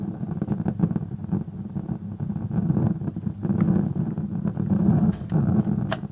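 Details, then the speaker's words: 1977 Thorn 8800-chassis vintage TV under repair that still won't come on: an irregular low rumble with surges and crackles from the speaker and no programme sound, with a possible burning smell; rumbling from speaker. "you can actually hear a rumbling noise out of the speaker, and I'm not too sure if I can't smell something burning."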